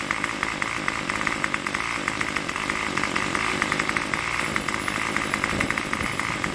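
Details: Craftsman Weedwacker trimmer 316.791191, MTD 27cc two-stroke shortblock, Zama C1U-P27 carb, after rebuild: steady high buzz at fast idle, firing evenly around 2600–2700 rpm on tach, no stumbling or surging, no choke; normal idle.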